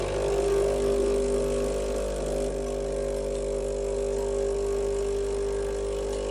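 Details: Breville Barista Express BES870 (Australian market) with a leak after brewing, suspected at the diffuser drain: a constant buzzing pump hum at steady pitch with no rattles or surging during a two-cup shot; the pump runs normally.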